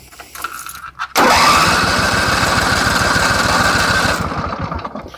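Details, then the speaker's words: Craftsman truck after a full fuel system flush, primed filter, choke pulled: starter cranks at about three to four beats a second for three seconds and never fires; carburetor and fuel pump are dry. "Carb and fuel pump are dry."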